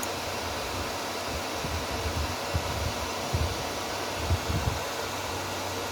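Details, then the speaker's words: Repaired inverter welding machine, cooling fan running after repair, loud enough to mask the relay click: steady even rushing whir, no rattle or scraping; normal cooling fan, welder working. "Very hard to hear how the relay turned because of the cooling fan noise."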